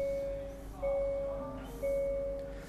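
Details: 2023 Hyundai Santa Fe after replacement of a faulty rear parking sensor, in reverse: clean, even beeps about once a second with no error tone; reverse parking sensors working.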